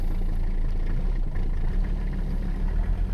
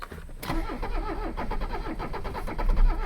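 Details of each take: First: Mercedes 300CD diesel started after waiting for the glow plug relay, foot on brake: fires right up into a deep, even idle settling to a steady low throb, a healthy start. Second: Abandoned Mercedes 300CD diesel being cranked with ether sprays: slow starter cranking broken by uneven chuffs and knocks as only two cylinders fire; progress toward starting.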